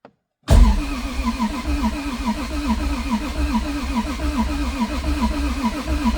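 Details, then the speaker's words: Toyota Supra built to about 1200 hp is cranked with the fuel pump fuse pulled to build oil pressure. Starter cranks steadily at about three compression beats per second and the engine never fires; a normal no-fuel crank. "So, I'm just going to crank the motor, make sure I get oil pressure, and I don't want to give it any fuel. So, I took out the fuse for the fuel pump."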